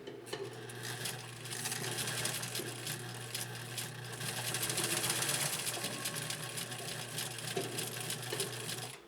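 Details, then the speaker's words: 1956 Atlas sewing machine with an oscillating hook; the needle clatters about four times a second over a steady low hum with a laboring note under load, the motor working hard because an underrated foot controller starves it. "can you tell how hard that machine is working that machine is working hard especially considering the motor is not getting the full gulp of energy that it needs"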